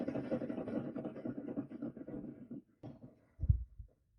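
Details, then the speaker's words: Cub Cadet ZTS2 zero-turn mower with about 60 hours: hand-spun deck spindle gives a rough gritty scraping rumble fading as it coasts; bearing starved for grease, louder than the good spindle. "hear that that's a bearing starving for grease all right so we've gone from quiet to louder"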